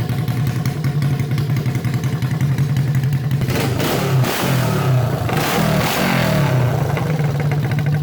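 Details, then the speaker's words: Honda CB350 basket-case twin, first start on electric start, no exhaust fitted, carbs not yet tuned; loud open-pipe twin on both cylinders, crisp lumpy idle picking up cleanly on blips. Normal idle and revving. "this was awesome the thing it's running like I swear it's running perfect it sounds really good when I get some exhaust on it I'll tune the carbs up a little bit"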